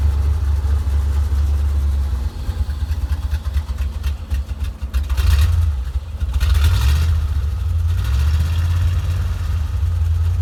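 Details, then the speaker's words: 1987 Corvette engine after flooded cylinders blown out and plugs refitted: lumpy low rumble surging and sagging, no clean idle; dies off throttle, reflooods, fuel in crankcase oil, thought to seep past rings; oil drain planned, owner suspects maybe injectors, unconfirmed. "so we did finally get this thing to run and hear what it sounds like but as soon as i let off the throttle it did die and it flooded itself again and it is getting fuel in the oil i think it's just flooding itself so bad"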